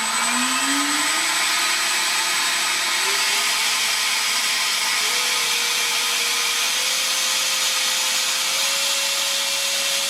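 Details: High fan tone climbs steadily then holds near full power with heavy rushing air; SU-27 ducted fan (right motor) thrust test on a 50C pack, about 76 mph airflow, grass-choked fan strains at full throttle, explaining lack of thrust after failed maiden.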